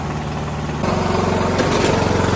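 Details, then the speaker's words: Poulan riding lawn tractor with 19.5 hp Briggs engine, after carburetor clean and reconnecting the solenoid plug, battery weak: single-cylinder starts on its own power and settles into a quick, even putter with no stumbling; normal idle. "cool starts on her own power"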